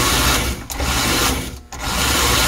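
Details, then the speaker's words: American Flyer #300 Atlantic toy train locomotive, one owner, possibly 1953, with its reversing unit in the engine shell: a buzzy, rough, high-pitched motor whine with two dropouts; the motor probably needs lubrication and the sticky reverse unit needs cleaning. "the engine sounds like it needs a little bit of lubrication obviously the reverse unit needs some cleaning"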